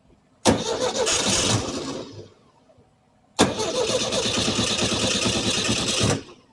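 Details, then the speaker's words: 1968 VW Type 3 Squareback with original Bosch fuel injection, vacuum leaks fixed: two short cranks catch and run ragged, then die; won't hold a steady idle, timing suspected. "All right, she's still not happy. but there's no vacuum leaks now. So why isn't it wanting to fuel?"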